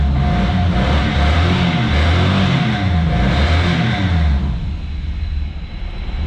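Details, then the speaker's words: 1998 Chevrolet Camaro 3.8L V6, manual, said to be missing two cylinders, revved to about 7,400: lumpy, uneven, ragged low pulse that never smooths out, smoky; misfire suspected, needs a tune-up. "not gonna lie folks this thing really needs a tune up"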